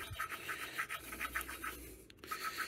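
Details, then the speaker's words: Yamaha SR125 cylinder head, valve being hand-lapped with a suction stick: rhythmic gritty scraping strokes, coarse each pass; seat not yet lapped smooth, sound should change as lapping progresses. "every few stops sort of lift and twist you're gonna hear the sound changing as you do this"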